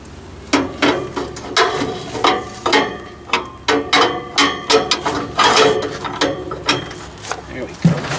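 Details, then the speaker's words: 1944 Ford 2N tractor hand-cranked with a new crank handle, ignition off: dry ratcheting clatter about twice a second, and the starter appears to be spinning too; the starter drive is suspected not to be disengaging. "to me it sounds like that starter's engaged i don't know it sounds like that starter's spinning too there i wonder if it's like not disengaged"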